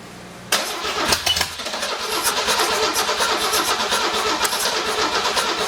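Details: Six-cylinder engine on a stand, first start, not yet boosted, penetrating fluid sprayed in a cylinder: starter churns unevenly several seconds with a brief catch or two, never runs.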